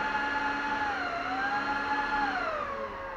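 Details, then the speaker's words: Dell PowerEdge R410 server after boot during a VMware install: steady fan whine with several clear tones gliding lower and quieter as the fans spool down; settling normally. "that sounds better fans went down"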